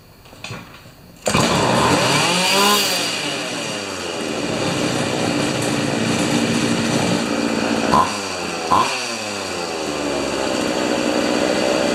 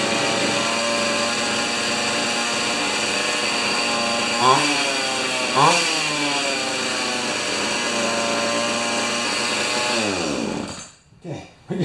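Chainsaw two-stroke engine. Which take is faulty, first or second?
second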